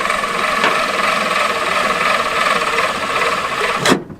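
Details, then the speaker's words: Roughly 80-year-old abandoned Jeep truck cranked with spark plugs out and oil in cylinders: starter whirs steadily then drags and winds to a stop, seemingly heating and building resistance, losing amperage; starter suspected failing. "Sounds like something's getting hot and building a bunch of resistance and losing amperage because of it."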